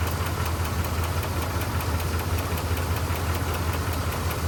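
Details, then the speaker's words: 1985 Dodge Ram D150 Prospector, 318 V8, 70,000 miles on the odometer, after a disconnected power supply plug was reconnected: steady, even burble at idle with no knocks or stumbles; a smooth, healthy idle. "Dumped it and got power going to that supply. Look at that, running like a kitten."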